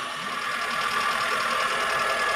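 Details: Suzuki APV after replacing the faulty WTS coolant temperature sensor with a genuine part, warming to mid-gauge: steady even idle with faint high whir, no knock or miss; radiator fan now cycling, overheating fixed.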